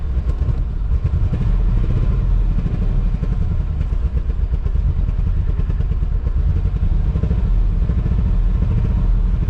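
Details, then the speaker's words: Abandoned low-mileage 1993 Corvette 40th Anniversary, six-speed, after fixing leaking fuel injectors: deep loose idle with uneven stumbling beat, not firing on all cylinders; suspected long-stored injectors or spark, not confirmed. "definitely not running right and it actually probably I do want to take a little bet it could just be the fuel injectors that I use because those have been sitting on that engine for quite a while but you can hear it's not hitting on all cylinders or it could be spark"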